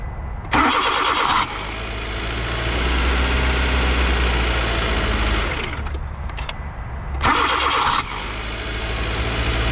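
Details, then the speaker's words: 2012 Kia Soul with a recently replaced remanufactured starter, mounted tight with good connections. Two bursts of high whirring grind at start-up from a faulty overrunning clutch inside the reman starter. "that noise would be the overrunning clutch on the starter they have a little safety feature that if the engine is running when that happens it allows it so the starter doesn't spin more than 300 RPM"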